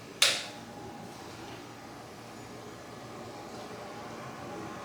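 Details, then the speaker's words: New Bucktool 8-inch bench grinder on low (L) switch position, first switch-on; short click then slow start-up to a faint, even whir with no rattle or scrape; normal low-speed running. "Kind of a slow start up. Wow. Barely hear it. It's pretty nice."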